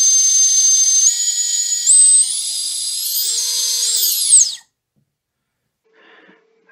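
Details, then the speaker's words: Three-inch quad on the bench, props off, motor spun up from the motors tab to check for bad bearings: clean high whine climbing smoothly in steps to full speed then dropping away, no rasp or grind; bearings sound acceptable. "alright and then we're just gonna spin up motor one that sounds really good"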